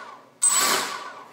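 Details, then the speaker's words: DIY honeycomb quadcopter (red team) on MultiWii with properly working setup, ESCs initialized with long beep, then armed and throttled: sharp smooth whirr rising, all motors spinning up evenly; normal. "Now, you'll hear that long beep. That means the ESC's are initialized."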